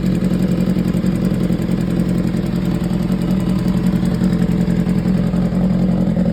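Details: 2015 BMW S1000RR, 7.8K miles, idling: light, fast, slightly uneven tick over the engine note; top end ticking.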